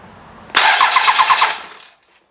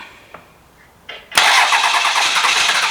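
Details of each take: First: 12v Cummins, bench-started for an OBS Ford swap, starter jumped at the solenoid with the fuel shutoff closed: strong, even cranking at about five to six compression beats a second, no grinding or dragging. Normal healthy starter. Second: 12v Cummins diesel being bench started for an OBS Ford swap, about 180,000 miles, starter apparently jumped at the solenoid: about seven seconds of even whirring cranking with compression but no firing; no start from lack of fuel.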